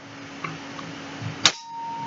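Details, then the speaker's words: PSA Rock 5.7x28 pistol, trigger held back with pressure to the right while the action is cycled, then released and pulled: faint reset click, then one crisp metallic snap with a ringing tail as the striker drops; normal function. "And there's the striker drop. Perfectly correct."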